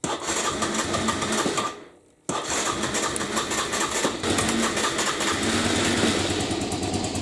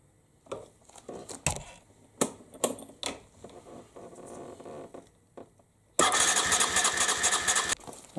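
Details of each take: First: 1998 Aprilia Leonardo 125 scooter, long stored outside, after battery replacement and carburettor cleaning: fast, even buzzing from the single-cylinder engine, steady after a brief dip; it runs healthy. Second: 1998 Aprilia Leonardo 125 scooter after carburettor cleaning and new battery: scattered clicks then a short burst of steady starter cranking without catching while the fuel pump fills the empty float bowl. Cranking, no start.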